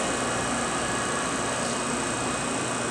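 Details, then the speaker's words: MBraun Labmaster 130 glovebox, small manual front antechamber being evacuated via its valve: steady even hum with rushing hiss, no knocks or rattles, gauge dropping to 0; vacuum pump running normally. "We can evacuate it. You can hear the pump kick in. You can see the gauge go down to 0."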